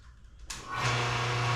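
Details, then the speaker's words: Single-cow milking machine vacuum pump, motor run with cover and face plate off and carbon plates removed: steady even low hum, no buzzing; motor healthy, problem suspected in the carbon plates. "okay so this is great I don't hear I don't hear any sort of weird buzzing I just hear the motor running so that's a really good sign"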